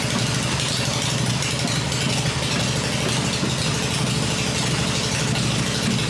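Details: Freshly rebuilt black Harley Evo V-twin motor idling on an engine test stand with open exhaust after final build: even, lumpy V-twin beat with no knocks or rattles; running the way it should.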